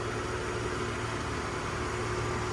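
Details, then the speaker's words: 1970 Ford F100 six idling just after the likely charging fault was found: quiet, even purr with a smooth low hum and no ticks or misses. Like a sewing machine; normal idle. "I don't know if you can hear that or not, but purrs, and it's just quiet. It's like a sewing machine. I understand why these motors are really popular."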